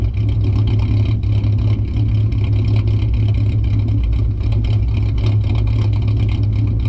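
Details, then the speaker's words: 2008 Ford Mustang 4.0 V6 idling in drive with deliberate vacuum leak via the EGR line (idle chop mod): low idle with an uneven loping chop about twice a second, sounding cammed. "So in drive, I mean, it sounds gnarly. It sounds like it's actually cammed."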